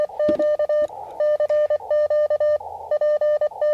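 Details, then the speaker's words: CW band on a 9:1 random wire antenna: short musical tone bursts near 600 Hz and 1.2 kHz repeating irregularly; unidentified tonal interference also heard on a second radio (DX10), so not from this radio. "I don't know what it is. Been hearing a lot lately. I hear it not just on this radio. So, I know it's not the radio."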